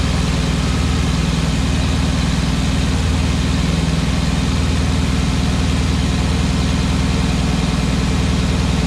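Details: Porsche Cayenne Turbo 957, cold engine at idle: a steady low rumble with a fast, fairly even tapping of about 200 per minute on top; abnormal cold-start noise, cause unclear.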